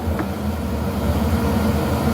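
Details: Van Wert VA-600 coal/oil boiler on its oil burner, long run at light load with the aquastat near 155 and set to shut off at 160. Even low roar and smooth rumble with no pulsing or flutter. Normal.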